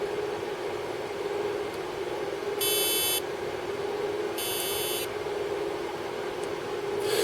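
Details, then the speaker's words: Pang bootleg arcade PCB, unrepaired for 25 years, speaker held near the microphone: low drone with harsh buzzy bursts instead of game sound, intermittent garbled audio; digital sound fault suspected, M5205 speech chip area under investigation. "Yeah, it's intermittent, but mostly makes like buzzing noises, etc. Garbled."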